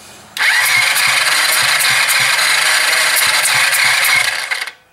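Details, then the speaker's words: Chinese ATV, spark plug removed, cranking compression check with thumb over plug hole: fast, even puffing, each stroke strong and alike; healthy compression. "can even hear that coming out that's a pretty healthy compression"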